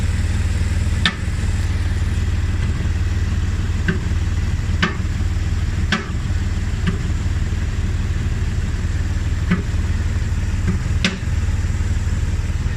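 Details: BMW E60 at idle: a low steady hum broken by sharp, irregular single knocks every second or two; engine knocking of unknown cause.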